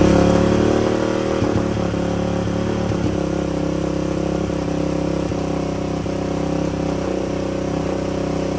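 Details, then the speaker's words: 2004 Yamaha Raptor 660 dual carb, Pro Design intake, K&N filter, full Yoshimura exhaust, after sitting, during carb tuning: rough uneven revving as throttle opens; idle fine to quarter throttle, still lean from half to full throttle. "all right so idle's good up until about quarter throttle so we should be good on the pilot and the fuel screw I didn't even touch those but we're still pretty lean from half to full"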